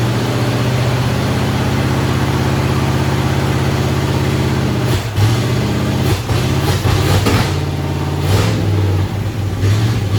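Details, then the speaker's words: "Bear" 9C1 V8 first start with only Y-pipe, no exhaust: loud raw fast idle with uneven lope and blips; high idle from uncapped vacuum lines, carburetor needs tweaking. "we just need to tweak that Carver a little bit I need to cap off a couple vacuum lines that's why the the high idle and stuff"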